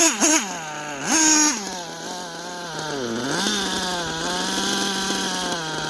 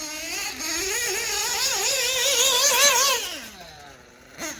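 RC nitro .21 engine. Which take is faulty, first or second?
first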